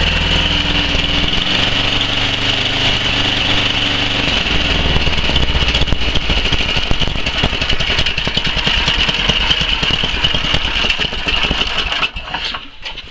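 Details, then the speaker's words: 11 hp Tecumseh Snow King on Murray Select snowblower after the fix, still slightly cold: fairly steady, slightly rough low-speed running holding idle without dying, where before it died below half throttle; normal idle. "say that's job done it wouldn't even idle before it did there at the end"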